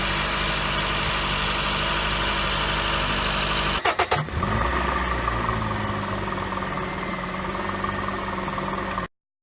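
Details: 2007 Honda Fit engine cranks, catches and settles into a smooth, steady idle after replacing the AC pulley bearing (NSK 35BD219DUM), which had caused a knocking first suspected as rod knock or piston slap.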